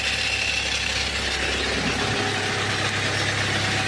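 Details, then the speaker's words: Audi A4 B7 2.0 TDI BLB diesel, 464,000 km, at idle: dry gritty whirring rasp from the oil pan, where the oil pump with balance shafts sits; sounds like a worn pump drive chain and sprocket. "шум іде із з піддона в піддоні у нас що знаходиться правильно масляний насос із баланср валами проблемний маслонасос"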